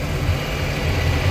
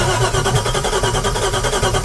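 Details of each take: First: Volvo Penta engine in a Regal boat, after a leaking fuel injector was fixed and exhaust fitted, idling on the lift after a run: deep even rumble, firing on all cylinders, no exhaust leaks, fluid levels good. Normal idle. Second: Boat engine dry-fired on bare manifolds with no exhaust pipes or catalytic converters: very loud, harsh, rapid unmuffled crackle for three seconds, then shutdown. Described as sounding terrible.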